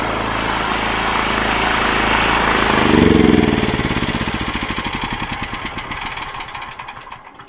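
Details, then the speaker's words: Wolf 5kVA petrol generator, Honda GX390 clone, left outside for years, electric starting with choke after engine service kit; catches quickly, steady even beat. Engine healthy; poor electrical output, electrical side suspected (AVR/brushes). "So, well, the engine's fine now. I thought the engine would be giving us all the grief, but it's not."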